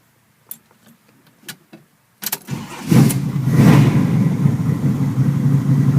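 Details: 1981 Chevy Camaro, 383 stroker V8 (425 hp), under 15,000 miles, starts after a few starter clicks and settles into a strong, even, fast idle with deep steady rumble; idle set high after a new electric choke install; healthy.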